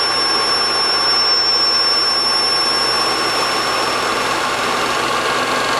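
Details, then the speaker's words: DIY single-quadrant IGBT PWM motor controller driving a go-kart motor, switching at 5 kHz: a steady, piercing high whine over the motor hum. PWM switching whine from both the controller and the motor. "there is an awful line coming from both the controller and from the motor that's because I'm switching at 5 kilohertz which is a very good frequency for humans to hear"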